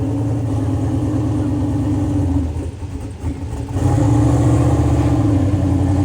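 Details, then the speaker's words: Cheap-car-challenge Mustang with a brand-new driveshaft, started after prep. It fires right up into a steady low idle with an even pulse near four per second and one short dip in level, then runs smooth. Healthy idle. "Nice baby. Fires right up. Sounds good. Sounds real good."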